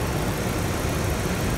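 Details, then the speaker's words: 2004 Dodge Ram 1500 after replacing the seized alternator, idler pulleys and belt tensioner: even, steady idle, smooth low rumble, no knocks, ticks or whine; owner suspects a possible air leak. Charging at 14.48 V. Normal idle. "See, it sounds a lot better. Still sounds like I might have an air leak somewhere, but overall it sounds much better."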